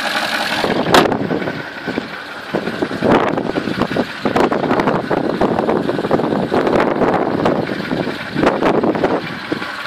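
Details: 2003 Porsche Cayenne S 4.5 V8 petrol at idle, smoking badly from the exhaust, with an uneven, clattery knocking running through the engine; cause not determined.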